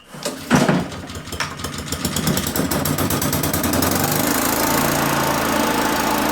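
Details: Allen Hover mower with Honda engine, carburetor reassembled, choke on, possibly flooded: a few uneven coughs, then it catches and settles into a steady, even run; sounds fine now.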